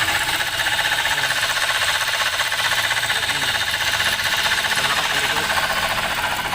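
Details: Toyota Rush engine running with a worn alternator bearing. A harsh, gravelly whirring rasp; the pulley is not a clutch type, so the two internal alternator bearings need replacing.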